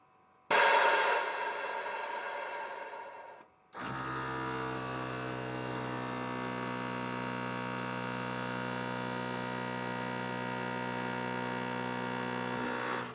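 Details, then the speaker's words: 1996 Harley-Davidson Electra Glide Classic, newly fitted rear air shock pump with relay and pressure-release solenoid tucked in. Steady electric-motor hum with a buzzy drone; slight vibration behind the side bags. "There's slight vibrations behind the side bags."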